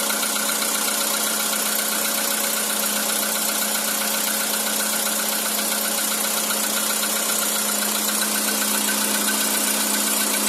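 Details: Cold-start knock on a 2013 Skoda Roomster with CFNA engine: steady idle with a sharp metallic ticking knock, roughly four per second, persisting while the engine is cold.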